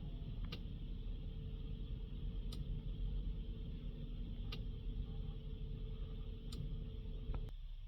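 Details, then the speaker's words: VW Amarok 2.0 TDI diesel after fuel filter replacement, fuel pump primed via a scan-tool actuation test: a steady low electric hum with a faint tick about every two seconds, quieting as pressure builds, then cutting off. Normal priming. "Okay, so we've gave that a minute or two, and we can hear the actual pump now quiet down because it's got pressure within it."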